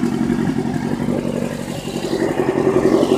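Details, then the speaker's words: 1991 Suzuki Katana 600, about 50,000-55,000 miles, aftermarket gauges; even four-cylinder idle with a slight rise in revs, no misfire or stumble; running healthy. "Alright, so I'm gonna go ahead and start it up. Let you see what it hit. Let you hear what it sounds like and let you see it run."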